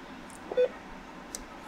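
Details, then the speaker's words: Radio Shack HTX 202 handheld ham radio at switch-on, air conditioner running nearby: one short mid-pitched beep, then ER1 or ER2 error; settings not retained because the ~30-year-old memory backup battery is dead. "Well, when I turn it on, and hopefully the air conditioner noise I was able to eliminate because it's hot. I gotta run the AC. It beeps and it says ER1 or ER2 error."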